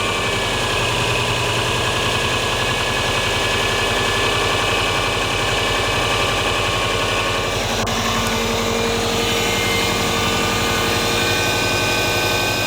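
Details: Subaru EJ20G turbo boxer at idle: rough uneven tapping about three to four per second over the engine note; engine knock, cause unknown.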